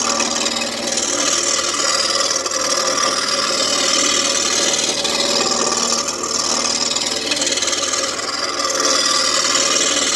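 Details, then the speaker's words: Turning a walnut wizard wand blank on a wood lathe: a rasping cut keeps catching and dropping out a few times a second instead of a smooth hiss, so the blank is still out of round. "you hear that? That means we're not round yet. Okay, we're round here. Not here."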